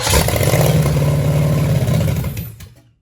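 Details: 1966 Chevelle small-block Chevy V8, barn find with a broken carburetor bolt, eyeballed timing and three plug wires initially wrong, first fires and runs lumpy and uneven with a stumbling, clattering beat; misfiring, not on all cylinders, likely sucking air.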